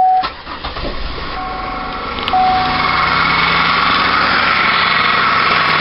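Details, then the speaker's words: 2002 Buick LeSabre Custom, 3.8 L 3800 Series II V6, 87,250 miles, oil recently changed, no antifreeze in oil: engine catches and idles with a light, fast tick about three or four per second; source not yet identified. "you can hear that ticking sound"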